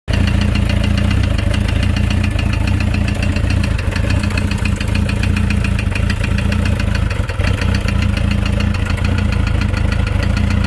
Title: Motorcycle Engine makes knocking noise